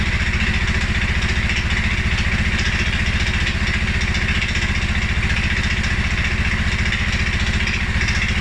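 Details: 2011 Polaris Sportsman 550 XP EFI, after riding or revving: low, slow chuffing idle about three to four beats a second, loping slightly unevenly; rough low idle, cause unknown: TPS, IAC, TMAP, valves, timing, plug and 43 psi fuel pressure all good.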